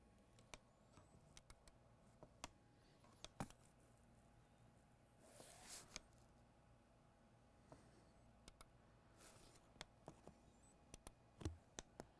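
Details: Asus ROG GU502L laptop won't power on: faint scattered ticks and paired clicks as it tries to power up, cycling with heat sink and fans not fitted; cause unknown.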